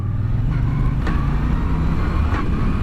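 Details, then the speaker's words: 2017 Moto Guzzi V9 Bobber, 853 cc V-twin, six-speed with shaft drive, riding: sharp single clunk at each gear change, even downshifting, worse when the clutch is released late; rider suspects the driveshaft (cardan). "je pense que c'est le cardan qui claque écoutez dès que j'enbrille dès que je passe un rapport"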